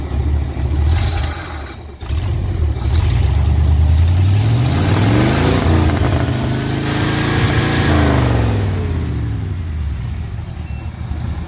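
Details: 1969 Ford C700 truck, 330ci V8, cold start after nearly nine months sitting, after fixing poor cables: cranks, catches, revs up and down smoothly, settles to even idle, air compressor building pressure: normal start and rev.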